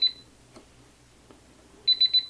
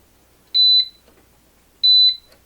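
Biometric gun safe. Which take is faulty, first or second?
first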